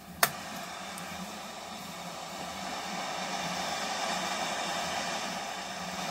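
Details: Hitachi KS-1700H AM/FM radio sabotaged by its seller, before teardown: a single click, then only a steady hiss with no station on FM; FM barely works and the cause is not yet found.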